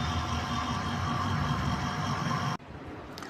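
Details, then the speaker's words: Fridge, after replacing the relay and OLP (overload protector) on the compressor terminal pins to fix no cooling and repeated 'cut cut' clicking: compressor now starts and runs with a steady low hum and faint vibration buzz; normal. "अब मेरा compressor start हो चुका है जो vibration भी कर रहा है और जिसकी आवाज साफ सुनाई दे रही है।"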